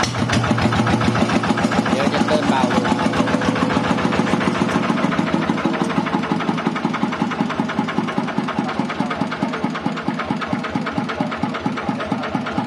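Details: TF115 motorcycle (upgraded to 150cc) at idle: fast, sharp ticking over a lumpy single-cylinder idle, keeping pace with the engine; excessive valve clearance, before valve adjustment.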